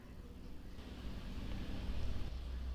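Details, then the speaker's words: Motorcycle with ACG starter after reviving a dead dry battery: low, soft churning turnover that slowly builds without catching. ACG starters crank less forcefully than older dynamo starters and need a strong battery. Starter cranking. "Makanya motor-motor yang menggunakan ACG starter itu kalau kita tekan tombol starternya tidak akan bisa segarang motor yang masih menggunakan dinamo starter ya."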